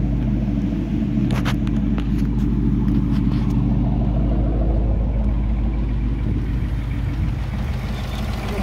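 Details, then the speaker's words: 2018 Ford Mustang GT V8, 6-speed manual PP1, high kilometres, three years owned, idling: light, quick ticking about three per second over steady idle; typewriter tick, also heard driving at 2000–3000 rpm, cause unknown, owner says motor's good. "now so yeah that's the typewriter take three years later still taken motor's good"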